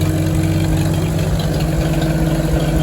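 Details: 1949 Farmall H, back to running well after tune-up to stop it cutting out, at a steady low thumping idle with an even beat and no misses or knocks; only a small drip at the fuel bowl noted. Normal idle.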